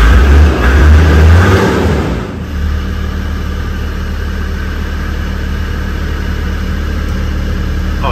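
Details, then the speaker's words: Land Rover Defender five-cylinder diesel, after fixing a no-start traced to a faulty isolator not giving a good ground (fuel pump now audible): heavy cranking catches within two seconds, then settles to a steady even idle with no misses or knocks. "don't believe it after all that hassle appears to be that isolator which is Diggy not giving it a good ground what a result"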